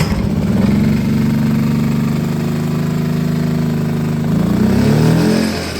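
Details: Predator Super Quiet Inverter 2000, reassembled after reseating pushrods and adjusting valve lash, restarted on the pull starter with eco throttle on after sitting a while, oil very black: settles into a steady, even hum with no knocks or misses; running normally.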